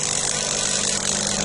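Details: Delonghi EC270 espresso machine, first run after disassembly, vibration pump with non-original hand-cut replacement spring: hard steady high buzz over a low hum, no pulsing, louder than before; spring too stiff, so the pump fails to deliver water.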